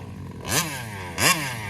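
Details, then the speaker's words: Kraken Vesla .5 with 35cc Taylor reed two-stroke: two quick buzzy revs climb, then fall straight back; bogs and won't come on the pipe even with a clean air filter, acts lean, owner suspects the carburetor. "and it won't get up on the pipe and this air filter is not dirty or anything"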